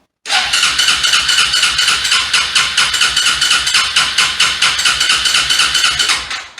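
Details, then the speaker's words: ATV that sat unused for about five months and would not start after being parked, battery good, in neutral: steady, even starter cranking for about six seconds, never firing. Cranks but won't start; bad gas later found as the cause. "nothing so what we're going to do is go down the list of things that could be wrong with this thing and we'll see if we can't get it running again here pretty quick"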